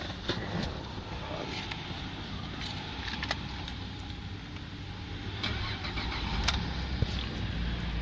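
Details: 2014 VF Holden Commodore SV6 sedan, 3.6 LFX V6, automatic, 110,667 km, side-swiped: a short crank catches promptly and settles into a steady, even idle with no knocks or misfires; the engine sounds sound.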